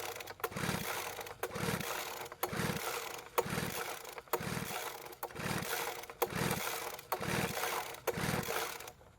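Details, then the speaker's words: Poulan Pro two-stroke leaf blower that ran one day and wouldn't start the next, with fuel and spark present: the pull cord is yanked about once a second, giving soft, weak puffs and never catching. Compression reads about 80 psi, low. "so the reading is about 80 psi now this reading is quite low a strong healthy engine would have gotten a reading closer to 140 PSI or higher"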